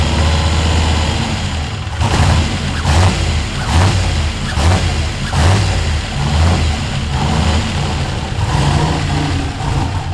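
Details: Ford F100 with swapped turbo LS1 V8, first start and restart: idle surges and dips about once a second with a lumpy, stumbling beat. It runs rough; the owner suspects a vacuum leak or tuning, unconfirmed.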